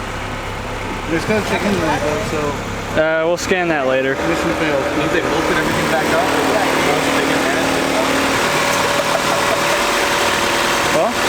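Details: JDM Honda B20B engine swapped into an EK Civic, first start: catches after a brief stumble, then settles into a steady, even idle with no knocks or misses; sounds healthy.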